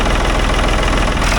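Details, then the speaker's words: 1965 Ford tractor with a 3.3 L Ford three-cylinder diesel, 60 hp at the PTO. An even, steady low chugging pulse with no misses or knocks and no smoke; sounds so nice, a healthy idle. "Is that not impressive? Sounds so nice. No smoke. She's just purring."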